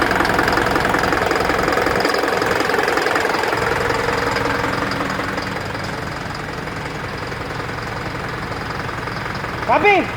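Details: Isuzu NPR diesel at idle, check engine light with DTC P0202 cylinder 2 injector circuit from a loose connection; uneven knock roughly every third of a second as one cylinder drops out: injector circuit misfire knock.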